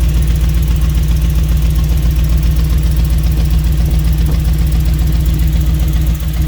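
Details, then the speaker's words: Jeep V8 with true dual exhaust after correcting tune from throttle body to multi-port injection; deep even rumble at steady idle, regular pulses, all 8 cylinders firing, no misses or knocks; normal idle. "So we switched it around and she's running good now. All 8 cylinders are kicking. Nice and smooth, sounds good."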